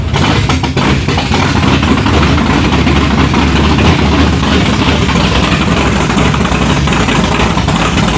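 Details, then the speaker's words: 1987 Chevrolet Monte Carlo SS, new 383 stroker V8 on open headers, first start: loud, lumpy idle with uneven stumbling beats instead of a steady lope, running rough; owner also suspects the choke needs opening and idle setting. "It did sound nasty, didn't it? Oh, yeah. Open headers? Yeah."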